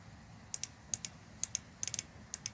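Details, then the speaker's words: 22-year-old Mustang's 19 lb fuel injector bench-tested with voltmeter leads, before cleaning with carb cleaner. Crisp, sharp clicks in quick pairs; healthy injector solenoid. "when I touch these terminals and you should be able to hear this injector click ready"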